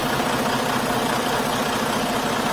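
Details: Truck just collected from Freightliner after repairs including head gasket, hood open: steady, even diesel idle with a constant rumble and no knocks, misses or rattles; runs healthy.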